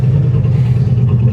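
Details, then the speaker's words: 1963 Oldsmobile 88 V8 warming up on its thermal choke, after reseating a fuel line that was sucking air: deep, steady rumble holding even under throttle with no stumble or surging; running clean and healthy. "apparently the little fuel line wasn't all the way down and the fuel sucking a little air there there now she rips good"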